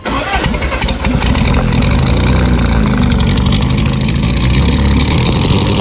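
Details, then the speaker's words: 1976 MGB with K04 turbo, about 157 hp at 12 psi, after a hard run: rough, lumpy running with a ragged chuff, heavy smoke and water from exhaust; head gasket blown again, coolant entering the cylinders. "oh yeah bro head gasket is gone for the third fourth time"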